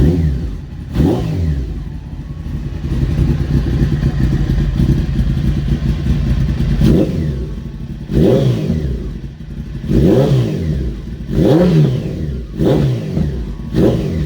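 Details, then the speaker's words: Honda CBR900 streetfighter after a wiring fix, started cold and warming up: idles and revs repeatedly, climbing and dropping cleanly with even firing and no knocks. Sounds healthy. "let's start it up it's a bit cold so uh yeah let it warm up a little bit but look at the revs"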